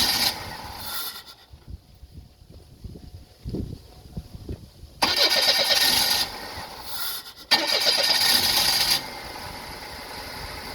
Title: Hard starting